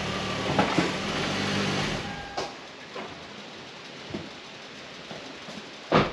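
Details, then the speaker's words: 2001 Toyota Avalon on back roads, before repair. A few dull, irregular clunks over quiet road noise on bumps; shaking the wheels and tightening the spare and jack didn't help. Owner suspects worn rear sway bar bushings. "so we're trying to troubleshoot some rattles on this Avalon and I'm thinking it could be the bushings around the rear sway bar so we're going to go ahead and try to change those"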